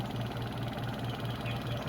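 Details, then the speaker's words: Washing machine spin dryer after repair of customer's squeak; spin gives even low hum, soft regular pulse about four per second, no squeak; suspension okay, fault was shifting and dashpot; normal spin. "So okay naman yung suspension niya. Walang problema yung suspension."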